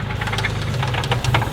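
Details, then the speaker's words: Infiniti G35 VQ V6 drift car that started knocking after about 20 minutes of driving, idling roughly with a repeated sharp rod knock over the low drone. "I know it's got a rod knock and a welded differential"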